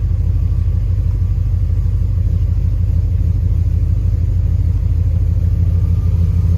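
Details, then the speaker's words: 1999 Dodge Ram 1500 with a 5.2 (318) V8 and 5-speed: rough, loping idle stumbling about three times a second from a misfire that is worst cold and eases when warm. It stored an O2 sensor slow-response code. "But when it's cold, it sounds like it's got a cam in it. So that makes sense. Got the truck running now. Let's do a, you can hear that misfire happening."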